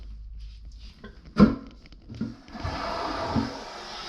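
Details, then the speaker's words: Original Mansfield toilet from a house built in 2001, before replacement with a Niagara Stealth: quiet start, then a steady soft water hiss as the tank refills; a normal fill with no whistle or hammering. "is what it sounds like when it's filling up and this is what it sounds like when it flushes"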